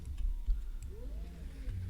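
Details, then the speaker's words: Tevo Tarantula 3D printer during end stop assembly: soft rising stepper whine as the carriage travels back, then a light click as it hits the end stop switch; normal end stop homing click. "All right, so when this comes back, you'll hear it hit that switch."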